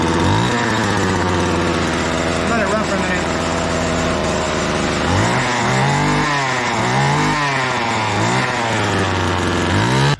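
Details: Homelite trimmer bought non-running, leaking fuel-oil mix from the muffler: two-stroke buzz at high idle, blipped several times, slightly blubbery uneven note; owner suspects running rich; fix attempt didn't work.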